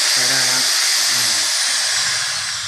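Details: Electric drill that customer said would not turn on, after wiring checked with multimeter and reassembled: steady high-pitched whine holds even with no cutting out or stutter; running normally after repair.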